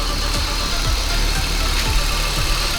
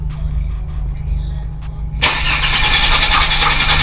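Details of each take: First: Holden VY Commodore (listed as both 3.8 V6 and 304 V8), about 304,000 on the odometer, just revived after 7 years parked. Deep, steady, even low rumble with no knocks or misses; normal idle. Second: Holden VY Commodore (listed as both 3.8 V6 and 304 V8), parked 7 years with possible rat damage to wiring and hoses. Fuel pump suspected, relays refitted, new dash cluster. Starter churns at a steady beat in two long bursts but never catches: crank, no start.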